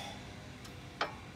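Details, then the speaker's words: 2008 Honda Odyssey with clunk when turning, chirping on uneven roads and highway rattle: a couple of sharp dry ticks as the sway bar end link is rocked by hand; worn end link needs replacing, other side okay. "so needs a new way were link yep and I believe the other side is okay"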